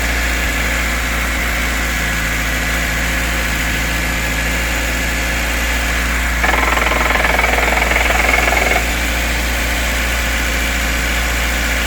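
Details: VAZ 2104 cold idle with a steady knock about 3.5 per second, heard only when cold and gone fully after warm-up; cause not yet found, owner suspects connecting-rod bearing knock.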